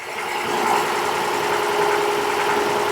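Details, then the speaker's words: Abandoned 1966 Ford F5 truck just revived: smooth, even idle with a soft steady hum and no valve ticking or tapping, choke dialed halfway back; "smooth as glass," sounding healthy. "this is why I was like uh yeah we'll take it it's smooth it is it is smooth as glass I love it"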